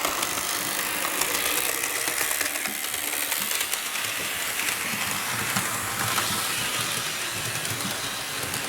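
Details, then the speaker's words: Athearn RTR C44-9W BNSF locomotive with new replacement Athearn motor on track: steady even motor whir with light rail clatter, no stutters; runs great, a bit noisy. "all right now the loc's on the tracks let's run all right it runs great"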